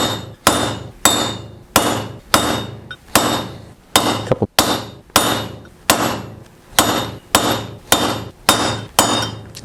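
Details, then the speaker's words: GM 14-bolt rear hub rebuild: steady hammer blows on a punch driving a bearing race, about 1.5 per second; ringing note sharpens as the race bottoms out fully seated. "right I think it's down all the way good way to tell is you won't be able to really move the bearing okay you can hear that tone change"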